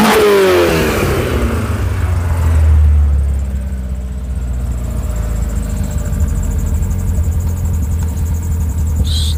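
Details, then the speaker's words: Skoda 120 16V (Rover K-series, CANEMS), right after throttle position sensor calibration: short rev, then revs sag slowly over a couple of seconds before settling; lazy idle return, though no longer misfiring. "a bit lazy getting back to idle but that's not firing on doing all things wrong anymore"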